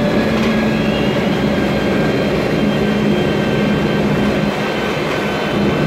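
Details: 2007 MAN Lion's Classic CNG city bus, MAN E2876 LUH03 EEV turbo engine, Voith DIWA 864.3 4-speed automatic, noisy Voith gearbox: thin constant whine over steady drone under way; transmission whine.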